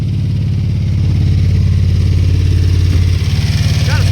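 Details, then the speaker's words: New 350 V8 in a 1948 Chevy truck on an S10 frame, first-start break-in run at 190°, 50 psi oil pressure: loud, fast, uneven stumbling pulse; two cylinders misfire from plug wires burned against the headers. "couple spark plug wires that are burned you can see see Hing so they they sorted out against the headers so those two cylinders aren't fire consistent leing"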